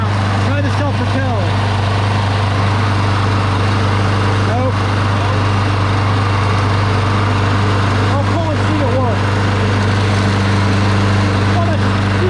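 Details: Craftsman Platinum lawn mower after engine swap, belt still loose, first start after engine sat upside down (smoking from oil): loud steady single-cylinder drone at even speed, no surging or misses; running normally.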